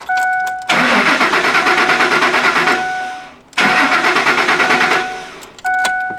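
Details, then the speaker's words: 2003 Ford Expedition 4.6L V8: two cranking bursts with steady starter chugging about three per second and warning chime between, starter engaging and turning engine but no firing; crank no start. "And as you can see, we have a crank no start situation. That is, this vehicle will crank. The starter is engaging. You can hear it turning the engine over."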